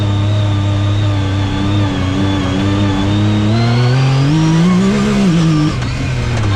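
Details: 2019 Yamaha YXZ1000R SS side-by-side with 5-speed sequential gearbox and paddle shifters, test drive: engine drone with a clear whine rising in pitch with road speed and dropping on each shift; normal sequential gearbox whine.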